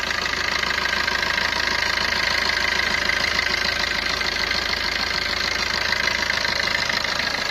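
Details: Maruti Ertiga after timing chain replacement, water pump and tensioner not yet fitted: steady even idle with soft regular patter, no rattle or knock; earlier abnormal timing chain noise gone, water pump had failed.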